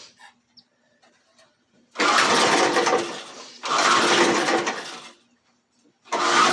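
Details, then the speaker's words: Old JC Penney high-wheel 4 hp, 22-inch push mower with the original engine and a leaking tank: three rasping pull-starts with no firing. It is hard to crank and won't start, blamed on a junk carburetor. "all right so that takes a lot to crank something like that"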